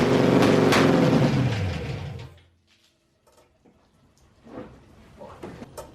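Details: SN95 Mustang V8 with aftermarket bigger fuel rails and injectors, first start in months, heavy smoke, plugs soaked in gas: stumbles and labors unevenly, then sags and dies. Owner suspects wrong fuel pressure is drowning the plugs.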